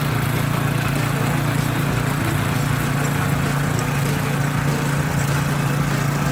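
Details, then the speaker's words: Petrol 170 engine on a walk-behind tiller, tested after repair while tilling soil: a single cylinder chugging under load with a slightly uneven beat. It is suspected to be a little low on fuel, so it runs rough. "Nghe tiếng máy nó không được đều lắm, nhưng mà hiện tại là nó hơi ít xăng. Máy nó hơi ít xăng cho nên là nó lỗ nó không được đều."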